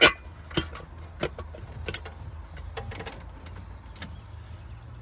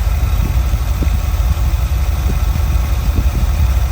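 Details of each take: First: Small-block Ford 5.0 V8 in a van, first start after swapping points for a Pertronix electronic distributor, sat a couple days; fires right up into a slightly lazy idle, timing off and a little retarded, alternator belt squeal: retarded ignition timing. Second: Small-block Ford 5.0 V8 in a van with newly installed Pertronix electronic distributor, warming up; steady even idle about 600 rpm, about 18 inches vacuum, choke roughly off, no misses or knocks: normal idle.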